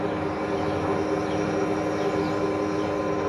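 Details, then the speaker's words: Mazda RX-7 FC3S (13B) with new Walbro 450 fuel pump and PTFE lines for E85, pump powered by a jumper harness direct to the battery: steady, even mid-pitched whine, no surging or grinding; fuel pump running normally. "so i'm going to go ahead and drop the negative down and we'll see if we hear the pump fire up she pumping that would be yes"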